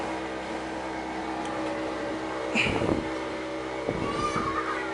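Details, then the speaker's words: Chinese two-stroke generator, Yamaha ET650/950 clone rated 1250 W (maxes about 800–900 W), running after recoil starter replacement, charging a battery at 10 amps; steady even drone holding speed under load, slightly smoky, possibly from a rich oil mix. "all right so there she is running the new starter on there"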